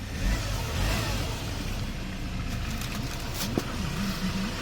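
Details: 2015 Hyundai Porter 2 Super Cab 1-ton electric wing-body truck, Euro 5 diesel with DPF, automatic, 149,000 km, accident-free; engine revved in a few blips, smooth and even with no knocks or misses, engine quiet, no shift shock.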